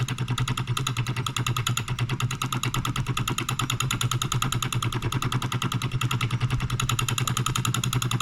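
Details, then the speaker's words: Late-1940s/early-1950s Wilkemp Jr Model E electric solenoid engine, new old stock, on 110-120 V stepped down by transformer, about 800 rpm: quick even clicking at about three beats per second over low hum, running smoothly. "i don't know if you can hear that humming we'll get something out of it oh it wants to go the other direction though"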